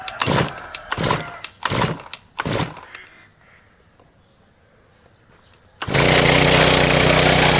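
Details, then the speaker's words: Brush cutter (motokosa) first start after winter with fresh fuel, primer pumped: several recoil pulls fail to catch, pause, then it fires and runs; it already started hard since autumn — hard starting. "Щось підглючує. Пробуємо ще. [музика] [музика] Після зими таке часто, хоча скажу, тут конкретно цей цей ще підлючував з осені, то він ще тоді тяжко заводись."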